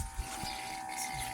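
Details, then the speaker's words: GMC C5500 heavy truck, long parked, after fitting a freshly rebuilt Stromberg WWC carburetor: electric fuel pump priming with a faint steady hum under clicks, fuel coming up the filter and dripping slightly from the loose inlet. "coming up the filter and it's starting to drip just a little bit from that Inlet which means that needs to be tightened but that also means it's getting fuel"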